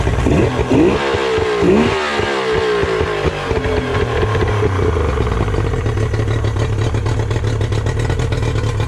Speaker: so here's a yamaha 90. there's nothing really wrong with it other than i need to detail it but i will start up just to show you guys how you know great they run